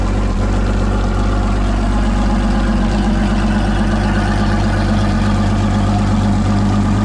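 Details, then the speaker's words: Evinrude outboard, dealer trade-in, after cleaning: steady even low idle with no knocks or misses, then clean shutoff; compression test came out really good, healthy running engine. "did a compression test that came out really good so overall great running engine"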